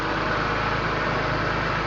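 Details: 2001 BMW M3 with over 200k km, cold start after a week of sitting, idling just above 1000 rpm while cold, heard under the hood. A steady, quiet, even idle with a smooth low hum and no knocks or ticks: a normal cold idle.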